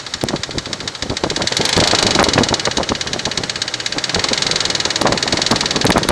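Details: Infiniti Q45 at idle: fast, uneven light ticking, about three to four clicks a second, over a steady idle; owner unsure whether it is lifter tick, cause not confirmed.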